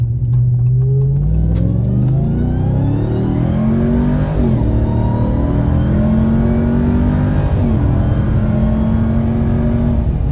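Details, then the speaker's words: 2021 Ram TRX supercharged V8 with aFe intake, no other bolt-ons or tune, sport mode, accelerating hard through several gears: rising tone resetting at each shift, blower whine louder under load; normal. "Driving casually, it's not really noticeable, but once you really get into it, it is quite a bit louder. So, you know what? I got this intake so I can hear the blower whine."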